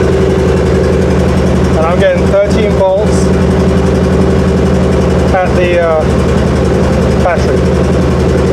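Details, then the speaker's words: 1979 Rolls-Royce Silver Shadow idling after conversion to a GM Delco Remy 10SI alternator: smooth, even low hum with a few brief chirps; generator light goes out and everything works as designed. "the alternator is working, everything's working. So everything seems to be working as designed, well, for"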